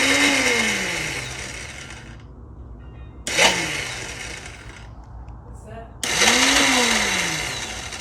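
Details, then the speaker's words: Dirt bike electric starter, from the owner's clip; the bike also has a kickstarter: high whirring bursts rise and fall freely with no cranking beat. The starter itself is sound but spins on a slipping Bendix drive; the fix is a new Bendix. "That's just the starter is spinning on the Bendex. So the starter is sound."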